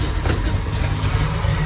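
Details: Carbureted V8 after fitting a new Brawler 650 double-pumper carb and new plugs, first start, cold: deep steady burble at idle, even with no misses or knocks.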